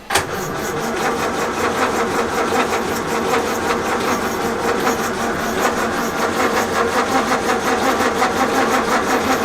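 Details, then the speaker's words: 1932 Morris Minor four-cylinder sidevalve, unused for decades, 6V battery, choke off: the starter turns it over steadily but it never fires; it ran earlier, owner suspects the points have closed up, and the points had been cleaned after giving a weak spark. "I don't know seems odd that it did run but now it won't and if the points have closed it but just try just try again briefly"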